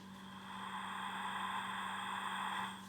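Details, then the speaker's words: Ingersoll Rand 212 3/8-inch impact wrench connected to air, idle: steady soft airy hiss out the exhaust, minor and quiet; owner suspects a worn O-ring or seal — air leak hiss. "there's an air leak out the exhaust very minor it's not loud"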